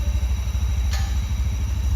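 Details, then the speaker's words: Honda Scoopy scooter after major service, cleaned dirty throttle body and worn spark plug fixed stalling and no-idle: even low putter at steady 1500 rpm idle, no misses, stalls or knocks; idles smoothly. "Udah langsam ya, Guys, ya. Tuh, RPM-nya udah di 1500 ya, Anjir. 1500."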